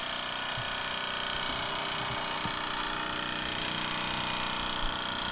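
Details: Post-1978 Mamod TE1a live steam tractor on its first steam-up after a cleaning, new seals and oiling. Fast, even chuffing at about four beats a second over steady steam noise. It runs smoothly and healthily.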